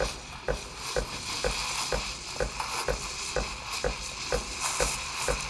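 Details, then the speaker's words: De'Longhi La Specialista Prestigio steam wand held at the milk surface about 5–7 seconds for thicker foam: steady hiss with a regular sucking tick about twice a second; normal aeration, with milk later heated to 50–60°C. "Et cette fois-ci, on va rester plus longtemps dans cette position pour créer une mousse un peu plus épaisse. Là, ça peut être entre 5 et 7 secondes à peu près."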